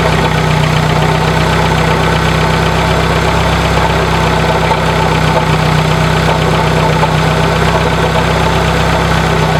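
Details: 1996 Dodge Neon idling with steady coarse grinding/scraping from worn-out alternator bearings, getting much louder with revs; easy to mistake for an internal engine noise, traced to the alternator.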